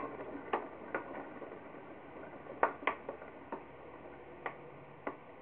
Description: The bearings clicking and popping while I spin the wheel by hand.